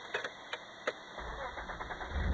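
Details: 1994 Nissan Pathfinder SE V6 4x4 with 5-speed manual: a few sharp clicks, then the engine catches at about one second and settles into a low running rumble. The truck only starts with the tilt steering wheel raised, not lowered.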